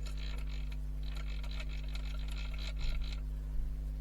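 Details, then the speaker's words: Vintage Kyosho Turbo Burns RC car during rebuild, rear wheels turned by hand; uneven gritty creaking and clicking from the rear diff, less when turning the centre shaft; owner suspects wrong diff preload or shim placement; differential noise. "I think I might have preloaded the diff wrong. So when I'll turn the back wheels, you hear that? It's not binding."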